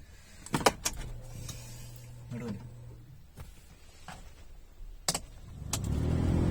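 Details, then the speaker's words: Suzuki Alto with key on, blower switched on: after some clicks the fan spins up into a deep, loud booming drone; leaves and a seed lodged in the blower motor cage cause it, fixed by removing and cleaning. "അപ്പൊ ഈ sound എന്താന്ന് വെച്ച് കഴിഞ്ഞാൽ നമ്മുടെ blower motor ഉണ്ടല്ലോ blower മോട്ടറിനകത്തേക്ക് പേപ്പറോ കാര്യങ്ങളോ വീണു കഴിഞ്ഞാൽ ഈ സൗണ്ട് വരും"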